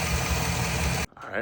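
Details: 2007 Chevy Silverado V8 after lifter replacement: about a second of steady, even idle with no tick or miss before it cuts off; normal idle.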